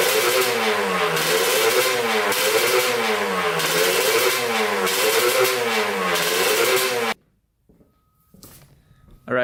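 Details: 1989 Kawasaki KX125 two-stroke, after new manifold fixed an air leak, carburetor float height suspected wrong: repeated blips rise and fall flat, never reaching the top end; worn power valve gears leave the bike down on power.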